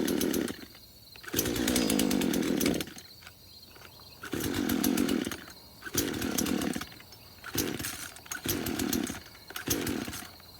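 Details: Craftsman chainsaw first start after about five years sitting in a shed: surges and sags in uneven bursts, bogging and nearly dying; fuel-starved, only runs with the choke on.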